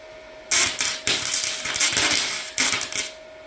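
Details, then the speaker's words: MIG welder building a bracket: sputtering crackle in stop-start bursts with gaps instead of steady bacon-frying sizzle; arc running unstable. "that sounded healthy yeah no that didn't sound healthy in all honesty it should sound like bacon cooking when it's running correctly that did not sound like bacon that sounded like Back to the Future bad animation"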